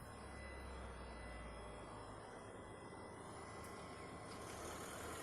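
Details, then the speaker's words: Hyundai Kona during CCS DC fast charging at about 47 kW, ~23°C outside: battery cooling fan running with steady rushing noise and faint thin whistle, louder and stranger than usual per owner; loud cooling fan noise. "Par contre, le ventilo du Kona s'est mis en route et vous entendez que ça fait un bruit assez étrange."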